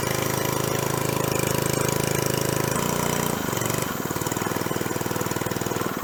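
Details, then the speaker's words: 1970s scuba tank air compressor, first run after new belt pulley, intake filter cork removed: steady thumping beat near three per second that shifts pace as it loads; air felt coming out, making pressure, normal running. "That is definitely making pressure. I can hear the air coming out of here and also feel it."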